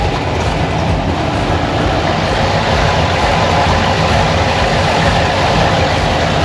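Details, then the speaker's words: 6.2 LS V8 swapped into square-body crawler on Holley Terminator X, first time heard running in the vehicle: deep V8 burble with steady, lumpy but even beat, no misses or knocks; idling properly. "running pretty good I'm super excited that definitely put some wind in my sails"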